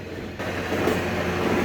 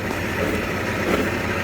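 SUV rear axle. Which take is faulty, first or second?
first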